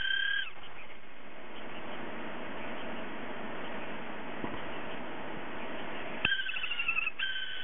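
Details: Hard drive with a faulty spindle motor bearing that won't spin properly; faint whir broken by short high wavering cat-like squeals at start and end, drive squeal.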